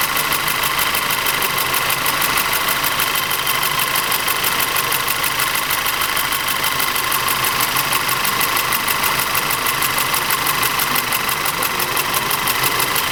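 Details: Audi TT 2.0 TFSI engine with sharp metallic tapping, about three per second, over a rough, uneven idle. Diagnosis found low compression and ignition misfires in the same single cylinder.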